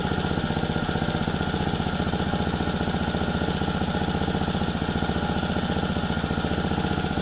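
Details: Lawn edger small single-cylinder engine, a no-start, after carburetor service, on bench: steady, even putter at constant idle speed, no misses or hunting; runs smoothly, likely dirt in the carburetor had prevented running.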